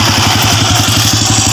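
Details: Honda Wave 100 after fixing a knocking engine (very loose timing chain, stiffer tensioner spring fitted, magneto-area fault cleared): steady, even thump about eight pulses a second with no clatter or ticking; smooth, healthy idle.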